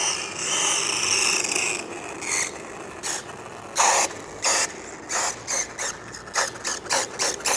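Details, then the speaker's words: Rlaarlo Omni Terminator 1/10 RC monster truck on tarmac with Hobbywing 10BL120 G2 ESC at max punch: irregular bursts of sharp ratcheting clicks, worsening as drive slips; stripped pinion gear skipping on the spur. "Sounds like the pinion might be stripped. Can you hear that? Yeah, something's stripped."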